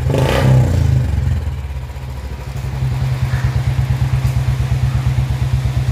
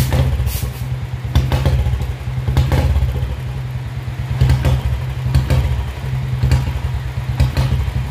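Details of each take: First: Royal Enfield Bullet 350 BS4 that had a misfiring (missing) problem, after fitting the blue BS3-type part (transcribed as CDI). A throttle blip, then an even, steady single-cylinder idle thump with no dropped beats. The misfire is gone. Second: Royal Enfield Bullet BS4 single at idle after fitting a new BS4 CDI: heavy thump with uneven beats that stumble and drop out; misfire persists, cause not found.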